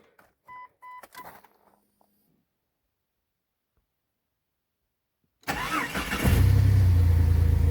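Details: Jeep Grand Cherokee with the 4.0 inline six, after brake work: chime beeps, a pause, then a quick crank, clean catch and smooth even idle; normal start.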